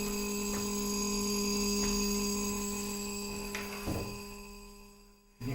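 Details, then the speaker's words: Shruti box G reed giving a steady low drone with a thin edgy buzz; the reed tongue is touching its frame, unlike the other reeds. "here is the same STI box and the same problem with same read it's a buzzing this read is making buzzing sound"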